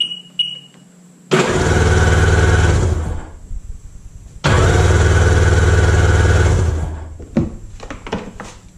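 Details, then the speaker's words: Sea-Doo with a freshly installed 787 engine and the battery just hooked up, crank-over test before checking plugs: two bursts of steady, even starter cranking with a regular compression rhythm and no grinding or clunks. Normal cranking. "all right batteries hooked up i'm just going to do a crank over test"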